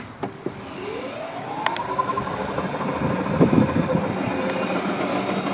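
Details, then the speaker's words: 1990 Club Car golf cart converted from old resistor-coil speed control to modern controller, accelerator pressed in reverse: smooth rising motor whine, no grinding or clunks; motor and reversing working normally. "Let me throw her in reverse here real quick."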